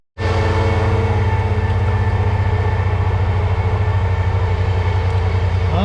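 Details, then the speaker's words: Car unloaded from a trailer at a drag-and-drive event: starter stuck engaged, giving a steady loud drone that keeps turning without dying away; once stopped, the battery was found dead. "already we're running into problems the starter stuck on and if you guys can hear it the starter is just sitting there turning"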